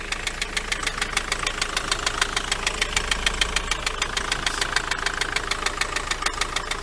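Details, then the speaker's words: Vehicle left standing about a month, just started after oil check: sharp, even ticking knock about three times a second over steady idle, seemingly from the engine area; knocking rattle at idle, cause not pinned down. "right got it started but as you can probably hear it's got a bit of a rattle to it"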